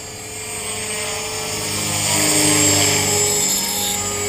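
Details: Trex 450 RC helicopter test flight after a crash, fitted with a Common-Sense RC TR450-35 3500kv 500-watt motor, 13t pinion and a smaller lipo: steady rotor drone with thin high squealing tones through the whole pass; bad main bearing squealing.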